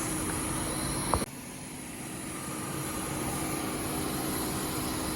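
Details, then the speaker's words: 1998 Oldsmobile Aurora V8, revived after sitting since 2016, cooling fans now working: a steady, even idle hum with no knocks or stumbles and a faint bump early on, running like a sewing machine. Normal idle. "Like a sewing machine."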